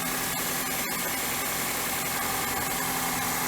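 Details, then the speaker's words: 2003 Pontiac Vibe engine making a terrible noise at start; uneven hissy puffing about three beats a second over the idle, possibly an exhaust leak, unconfirmed, stops when recirculate is pressed; no misfire, some smoke from spilled oil. "ready it's gonna make a terrible noise when it first starts the noise"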